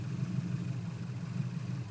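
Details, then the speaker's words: 2004 Subaru WRX with newly installed engine, turbo known blown, idles low and uneven since cold start, like a misfire; plugs checked, no code read, also hesitates and won't hold steady rpm. "I've been having this idle problem ever since a cold start it runs absolutely horrible kind of like a misfire but it it's not"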